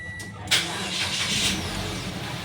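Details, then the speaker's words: Mitsubishi Xpander after no-crank no-start repair, started with brake pressed: brief starter whirr, engine catches cleanly at half a second and settles into smooth steady run; normal start. "Okay so nag-start na so Okay na ' mga sir solve ulit ah"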